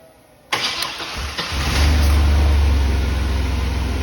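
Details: 2001 Chevy S10 4.3L Vortec no-start with low fuel pressure, weak 650 CCA battery testing 454: labored cranking about a second, then it stumbles and catches into a rough rev; hard start, weak fuel pump.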